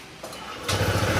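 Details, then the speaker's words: Honda ADV160 scooter after camshaft repair and oil change, fixing prior grinding engine noise: quick start then even putter with no rattle; normal idle, abnormal sound gone. "Ayun oh. Nawala na yung kakaibang sounds ng makina. Standard sounds na lang to."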